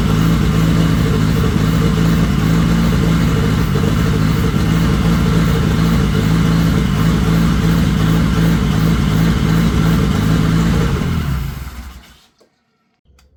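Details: Dodge Daytona turbo engine running after revival: strong even firing with smooth beat and faint turbo whistle on top; healthy turbo engine.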